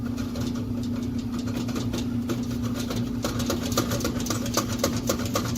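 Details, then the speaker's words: Furnace with bad blower motor, squirrel cage inside, room about 55–60°F: steady low motor hum with loose uneven rattling, goes nuts when turned on; motor to be replaced. "But there's like a squirrel cage inside here. It's gonna be pretty dark, and it just like rattles all around."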